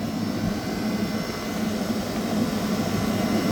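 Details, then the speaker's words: Walk-in cooler/freezer condensing unit on R-404A running under heavy load, fans cycling on: steady airy whoosh and even low hum with no chirp or squeal; suspected chirp ruled out, condenser fan motors sound fine. "Maybe not. I thought I heard a chirping from one of those motors, but no, they seem fine."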